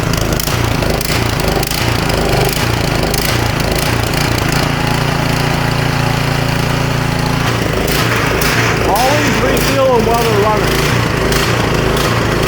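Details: Snowblower small engine after smoke possibly from owner tipping it to drain gas, plug torqued in: steady low drone at even pace, no misses or sputter; running smoothly again.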